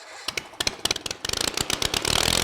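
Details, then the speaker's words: Kohler 23 hp big block twin after refuelling, with new spark plugs and a sticking choke lock freed: sharp firing pops build quickly into a fast, steady beat; catches and runs cleanly. "There you guys have it. We got the 23 horse back up and running."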